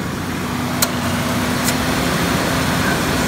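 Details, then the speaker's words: Old Ford Ranger, engine idling, AC not serviced in about a decade: AC compressor clutch clicks in twice within about a second, short cycling; suspected very low refrigerant, to be recovered and recharged. "I heard the click bird thump and we are another click I hear the sound the short cycling sound a very low refrigerant"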